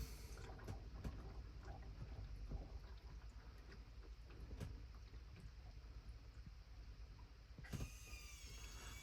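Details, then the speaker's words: Rainman Modular 140L watermaker with manual control panel on a Hanse 460 yacht, auto flush selected: quiet scattered clicks, then a sharp valve snap near the end and a pump starting up; normal flush valve opening. "And now you'll hear the auto flush do its thing. I think it takes about 15 seconds or something for the valve to open."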